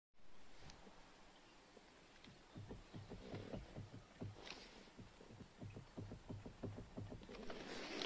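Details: Toyota Auris steering: irregular dull knocks, about three a second, as the wheel works, worse on uneven ground and felt in the steering wheel. The worn intermediate shaft had little play and was replaced, not the steering rack as first suspected.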